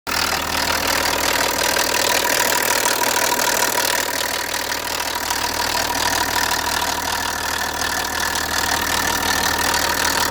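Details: BMW E90 325d with N57 diesel idling; steady, fairly quick tick over diesel clatter, no fault codes on diagnostic tool; owner suspects lifters; cause unconfirmed.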